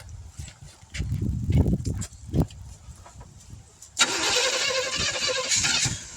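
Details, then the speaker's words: 1971 Chevrolet C10 after sitting for decades, outdoor start, timing being adjusted, no fuel pump: uneven cranking catches, runs a moment and dies. Owner suspects an inadequate fuel source, possibly spark plugs. "Well, she wouldn't quite run. She'd start up, run for a second, go out. I don't think we have a good enough fuel source, like I talked about before, but kind of a success, kind of a failure."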